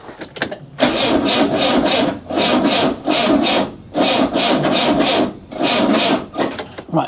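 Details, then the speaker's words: 1972 Rover P6 2000 after repairing a starter motor wire: four bursts of starter cranking, about a second and a half each with short pauses, engine never fires; no fuel in the pump. "okay positive start back to the initial problem no there's no fuel in the pump i'm going to have to do the whole suckery thing again"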